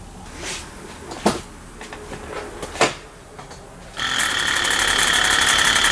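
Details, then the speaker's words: Early 2004 Ford Excursion 6.0 Powerstroke, no start, oil overfull, no coolant in the tank, belt off to rule out a seized accessory: cranking speeds up and slows, hit-hit-spin, engine won't fire; dead cylinder suspected. "you can actually hear it when it's cranking that it it it speeds up and then it slows down it'll hit hit hit spin hit hit hit so it's got a dead cylinder"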